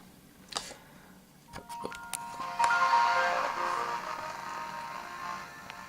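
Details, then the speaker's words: Dell Inspiron 8100 laptop running Windows Millennium: the startup chime comes out thin and buzzy, with notes breaking up and rasping. This is the unmistakable sound of a ruined built-in speaker. "Did you hear that? Because that is the unmistakable sound of a ruined speaker."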